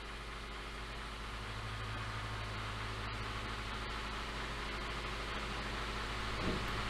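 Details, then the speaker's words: 2017 Hyundai Elantra after CVVT, camshaft, chain and tensioner replacement, warm at 78 degrees, revved to about 2000 rpm: steady metallic valvetrain chatter; timing codes persist, metal debris found on oil control valve, oil pressure within spec. "gonna erase it a little bit more 2000 so far our degrees are all the same but there's noise there though"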